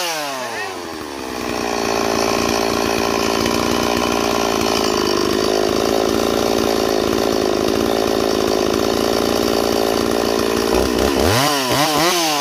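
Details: Stihl MS390 chainsaw with new top end, crank seals, carburetor kit, fuel line and filter, returned with an air leak: screams at a high, steady, lean pitch without dropping as it should, then wavers on the way down.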